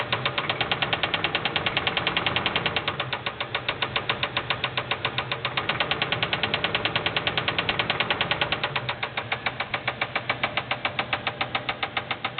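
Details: LT1 Buick Roadmaster put in gear: sharp, regular knocking over the idle, about two to three a second, with a brief dead zone where it stops; spun rod bearing, piston hitting the head.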